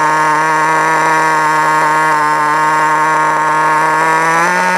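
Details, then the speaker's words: FTX Carnage 1/10 nitro truck, GO .18 engine at operating temperature, low-speed needle pinch test: high buzzing idle climbs in pitch as fuel line is pinched, quitting in 4 seconds; correct low-speed needle setting. "So that took 4 seconds to quit. So I would actually say that this is a good time, and 3 to 4 seconds is good."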